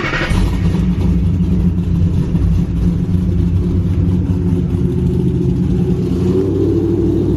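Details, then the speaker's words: Cammed 3V Mustang (2005-10), 75,000 miles, custom tune, idle set to 1140 rpm, warming up: deep steady V8 idle with only faint lope left; just a tiny bit of cam chop, considered the final setting. "That's it. A little bit of chop, just a tiny bit, but I think this is it."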